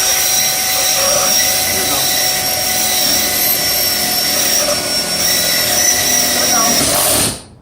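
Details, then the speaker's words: Pistol drill driving a screw while putting up blind hooks: steady high motor whine then cutting off with a brief clutch sound as the screw seats and locks in; clutch slipping, screw seated. "Now, when you heard that bring, that sound like that means that it actually locked in. That's what happens with a pistol drill. It informs you through the ear when you hear that sound that it has caught and it's locked in."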